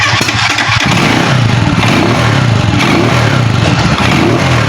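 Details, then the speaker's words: Euro 150 motorcycle that was misfiring, after the local spark plug was replaced with an original one: starts and revs cleanly with a steady, even exhaust beat, no stumbling or misfire; revving is now good where it misfired before. "gumanda yung revolution mga idol Ayan gumanda kanina pag ginaganon natin mapalya na."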